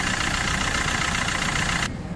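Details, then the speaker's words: Swift Dzire water pump with bearing play: thin steady chirping squeal high above rough idle, also heard when pulling away in first and second gear; worn water pump bearing squeal. "ये देखिए अपनी water body है, यहाँ पे ये water body में प्ले है और इसमें से आवाज़ आती है, चीं चीं की आवाज़ आती है।"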